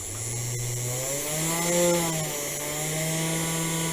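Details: Sainsmart 4040 Pro CNC used as an overhead router, spindle motor switched on, case fans on: clean whine rises as the spindle spins up, briefly overshoots, then settles to a steady even pitch; normal spindle running.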